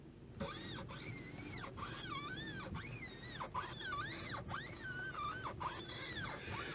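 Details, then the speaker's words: Citroen C4 Grand Picasso steering: repeated rubber-on-rubber squeals rising and falling with each turn of the wheel; owner suspects the boot where the steering shaft meets the steering rack, not confirmed. "Звук похож на трение резины о резину, потому что это действительно скрип резины."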